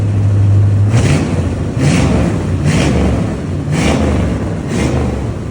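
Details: Small-block V8 swapped into GAZ-24 Volga, about 333 hp, first start on exhaust: deep rumble with five quick throttle blips about a second apart, each revving and settling cleanly; healthy.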